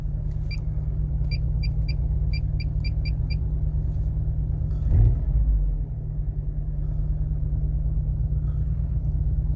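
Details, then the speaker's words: Mercedes W245 B-Class, automatic, cold start: a lumpy, uneven, shaking idle. The misfire occurs only when cold on cylinder 4, and the engine runs on three cylinders. "O teraz już słychać jak pracuje na trzy gary"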